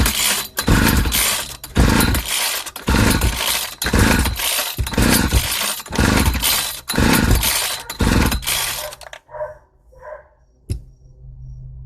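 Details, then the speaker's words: 1995 Ardisam 8900 two-stroke ice/earth auger (Earthquake/Eskimo), a yard-sale no-start despite a new plug, with an empty tank. It fires and revs in ragged surges for about nine seconds on carb cleaner sprayed into the intake, then dies. "Awesome, this auger wants to live."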